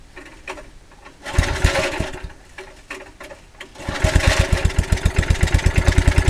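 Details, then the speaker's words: Early-1980s Generac S1500 portable generator, cold start on a cold windy day: coughing, uneven firing that catches on sprayed starting fluid and fades, rough beats about two per second; initial startup very hard. "well she starts on the starting fluid now spraying it doesn't do any good I can't do both at the same time"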